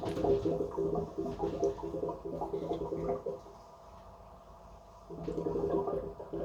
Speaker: so that means you have to pump air into the expansion vessel to get dispersed the water what's trapped inside it so if you hear that noise it's gurgling noise like this listen carefully